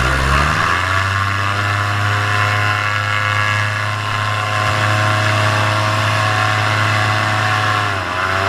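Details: Paramotor in flight, throttle held wide open: steady high drone with no surging or dropouts, pulling clean. This is the normal full-throttle baseline, recorded before the engine later began losing power and bogging.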